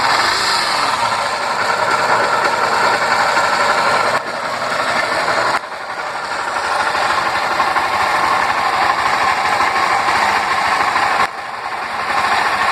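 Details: Honda Fan 125 single idling with uneven mechanical clatter and rattle throughout; mechanic says cylinder, piston and top end need rebuilding, owner suspects oil pump or clutch instead; cause unconfirmed.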